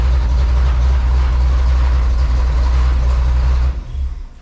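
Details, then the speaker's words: 1984 Chevy Silverado with a freshly swapped 350 V8, warming up in cold weather with fuel-diluted oil: a deep, steady rumble idling in gear, even beat, no knocks or misses, sounds healthy. "So let that 350 warm up, and then we'll move it in the shop. Sound too bad in gear."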